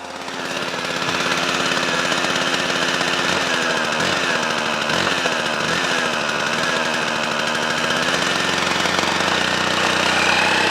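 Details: Hedge trimmer stored in the shed over winter with two-stroke fuel in it, started on second pull: sharp, busy two-stroke buzz settling to a steady, even run; runs cleanly and healthy after storage.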